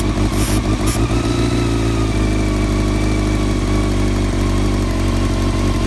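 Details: 1999 Honda CBR600 F4 four-cylinder at idle after rebuilt carbs, new intake boots and new carb balancing lines: low drone stumbles and wavers unevenly; owner suspects a vacuum leak somewhere, not yet found.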